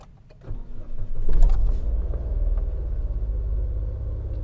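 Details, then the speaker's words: Nissan Almera after fixing stumbling, poor acceleration and warning light: brief crank then smooth steady idle, no stumbling; engine still cold so idle slightly high; auto light gone, engine light still on. "เครื่องเดินนิ่งเลยนะฮะปกติสตาร์ทนี่แบบมันจะกระพืออันนี้สตาร์ทแล้วแล้วก็รอบนิ่งตอนนี้เครื่องมันยังเย็นอยู่นะฮรอบมันเลยขึ้นสูงหน่อย"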